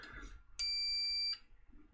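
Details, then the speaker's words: Apple HomePod with no power on the bench: multimeter in continuity mode gives a single steady high beep under a second, confirming a closed circuit while checking the usual suspect diode. "every single time I switch it to our continuity test mode here, it should give us clean, reliable results again."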